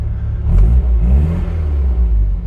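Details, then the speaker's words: Cold 1963 Austin Mini Cooper Mk I 997 with good oil pressure: deep, steady low rumble with a brief rev blip, even and free of knocks or misses; it runs nicely cold and should improve when warm. "it runs nice, even cold. We'll put some heat in it, it'll be even better."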